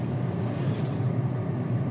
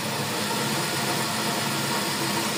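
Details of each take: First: 2020 Nissan Almera automatic transmission on a road test after rebuild with new bearings and rebuild kit, previously noisy with a droning hum; steady road rumble, no drone, whine or rough grinding, even when coasting: normal transmission. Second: 2020 Nissan Almera CVT (automatic) running on a lift with the car reported noisy: a steady droning hum with layered whining tones. Bearings found damaged: CVT bearing whine.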